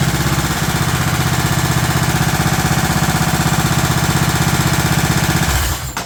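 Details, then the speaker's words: Scotts S2048 lawn tractor, 20 hp Kohler Command engine, 48-inch deck, brake on, PTO engaged for the first time: engine thumps about four beats a second, then bogs and dies within a second. "what is it dying what am I not turning on I got the brake on I should run with the brake on right"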